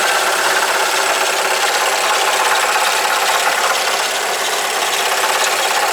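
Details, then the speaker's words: Alfa Romeo GT 2.0 JTS at idle: loose metallic rattle rising and falling irregularly, uncharacteristic knock, no shavings in oil. "Стук вообще не характерный, не похож ни на колено, ни на, ну, непонятно на что."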